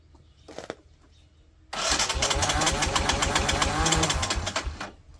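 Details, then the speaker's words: 1984 Honda Big Red four-wheeler with the key in run: steady cranking for three seconds that never catches, with no spark at the plug. Crank, no start, no spark. "We don't have spark, so but I'll show you what it's doing. The bugs are terrible here right now, despite spraying. Okay, so got it in run. That's all she does. No sparky spark. No nothing."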